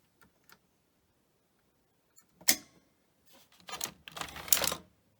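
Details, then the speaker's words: Grundig 2x4 Super V2000 video recorder under repair, power cycled at the wall: sparse light clicks, then a short whirr and clatter as the loading mechanism cycles but never loads the tape. "So you load it up, and it won't load up. Okay, now it's going to do that again."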